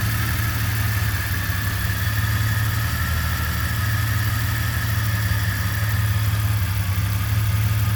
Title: Jeep Comanche 4.7L Stroker Rough Idle